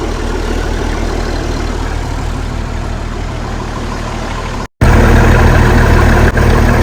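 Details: Ex-army International ACCO 6x6 truck diesel engine: steady, even low clatter at idle, about four pulses a second with no misses or knocks; healthy six-cylinder diesel idle.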